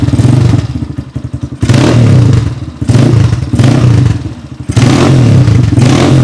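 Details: Rebuilt XR200R-based single fitted with a Chinese motor and CRF/XR150 parts: strong thump with crisp throttle blips, about four a second, dropping back to idle cleanly; engine runs healthy.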